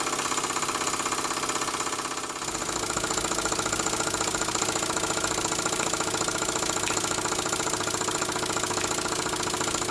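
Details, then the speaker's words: Small model engine, likely the vertical steam engine just fired up, belt-driving a homemade Baker fan as a working load. Quick steady chuff about 100 beats a minute with even hiss and fan-drive whir; normal running under load. "that drive belt off to show you the load that the baker fan puts on as soon as I take it off you'll notice the hopefully notice the engine pick up speed straight away"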